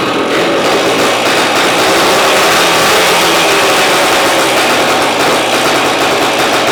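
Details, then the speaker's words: 1971 Yamaha AT-1 125cc two-stroke dirt bike, not run in over a year, first start on choke with a rigged battery: buzzy two-stroke settles into a steady, even run with no misses or knocks; it runs. "Well, there we go. It runs. Like I said, we'll get the battery situation figured out."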